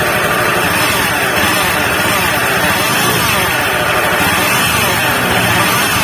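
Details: Honda Beat FI scooter engine with a rough droning hum, no clean beat, louder when throttled; mechanic suspects a worn bearing in the engine's bottom end, not confirmed.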